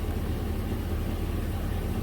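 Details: 2006 Chevy 3500 dump truck V8 at warm idle, deep even rumble with no knocks or misses; gauge reads about 35 psi oil pressure versus 6 specified at idle, sending unit replaced, oil pressure normal.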